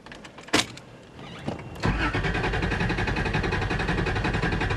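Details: 1994 Toyota 4Runner with an unknown problem, started while a Bluetooth OBDII scanner is connected: slow, struggling crank with a few sputters, catching at about two seconds into a loud, uneven run; hard start.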